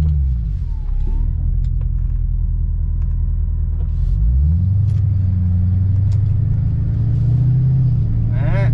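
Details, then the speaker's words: Ford Mustang 4.6L V8 automatic with a suspected gearbox fault, transmission at operating temperature, first road test. Low V8 drone pulls, then the note drops cleanly as the box upshifts, no flare or clunk: normal automatic transmission upshifts. "Déjà elle se déplace la voiture c'est déjà pas mal. Donc ça veut dire que la boîte de vitesse, elle est pas si mauvaise que"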